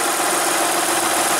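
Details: Van, cold day around 56–59°F, restarted to check an earlier noise: even, steady idle with no whir or rattle; engine sounds normal and the earlier noise is gone. Owner suspects a bearing froze up in the cold.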